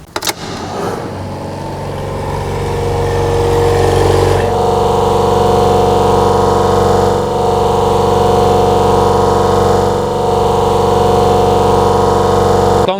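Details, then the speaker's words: Refrigeration compressor started during oil-change procedure, liquid receiver outlet service valve closed and gauges connected so low pressure drops and high pressure rises: after a rough start it settles into a steady even hum with constant tone, no knocking; running normally. "Ahora vamos a arrancar el compresor y podremos observar cómo la presión de baja baja y la presión de alta sube. Vamos a arrancarlo."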